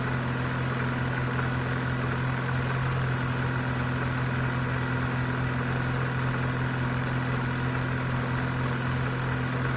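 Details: 2001 Vauxhall/Opel Corsa C 1.4 16V petrol, just after cold start, idling smoothly with no ticking; ticking appears after 5–10 minutes running and grows louder as it warms; normal cold idle.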